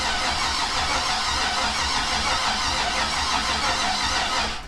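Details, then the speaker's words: 5.3 turbo Mustang V8 on MS3X cranking at about 90 rpm with starting fluid, full sync and all green lights: steady slow starter churn that never catches or fires; won't start because spark is weak on all coils. "around 90 RPM cranking i do have full sync everything's ready to go all the green lights are on so it's it's definitely there it's just a cot weak spark on all coils"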